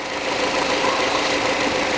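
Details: Hyundai Accent 2006, petrol, manual, after a new ignition coil was installed. Steady, even hiss of a running engine with no stumbles or pops, a smooth healthy idle. Normal idle.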